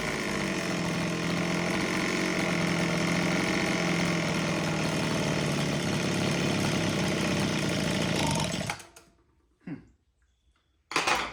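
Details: Homelite HT17 two-stroke hedge trimmer after its carb adjustment screws were set 3 turns out: uneven, wandering idle for eight seconds, then it dies; it won't stay idling and still needs tuning.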